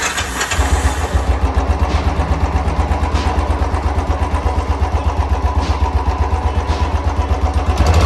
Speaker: तो इसके अंदर इंजन के अंदर शो रहा है बत ज्यादा तो एक बार आपको चेक कराएंगे किस चीज का शोर है